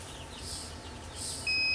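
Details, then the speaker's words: Tormach PCNC440 mill tool-changer air pressure switch during setpoint adjustment: quiet hiss, then a steady high beep as the low-pressure warning trips at about 65 PSI, clearing at about 70 PSI. "okay so that was low pressure detected at about 65 [Applause] PSI and then kicks off at about 70"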